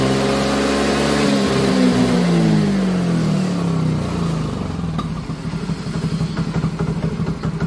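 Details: Yamaha Mio Soul GT scooter, previously badly misfiring and hard to start, after replacing its rusted fuel tank and cleaning the fuel pump filter. It revs up and drops back to a steady, clean putter.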